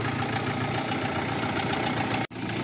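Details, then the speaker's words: Audi 80 B4 2.0 L, warmed to 90 °C, oil pressure 2 bar: faint light tapping under steady idle, rising with revs; running much quieter after air pocket cleared; owner suspects hydraulic lifters, not confirmed. "И с оборотом чуть-чуть сейчас перестук идёт какой-то непонятный. Но он намного тише стал работать двигать."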